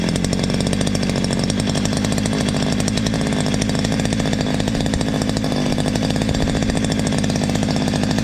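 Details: Stihl MS 230 chainsaw brought in for a terrible noise, running after the slightly loose exhaust was tightened: steady high-revving two-stroke buzz, even firing, no rattle or flutter. The clutch-drum washer play is normal, so it sounds right.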